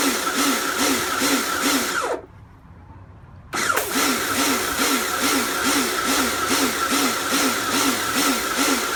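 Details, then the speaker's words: Kärcher pressure washer rebuilt from a B202 and a K2 14 after frost damage and motor failure, running under load with water: motor note surges and drops a little over twice a second with brief cutouts, pulsing, cause unknown. "so as cleaning goes it seems to work fine i'm not entirely sure what uh that pulsing noise is from"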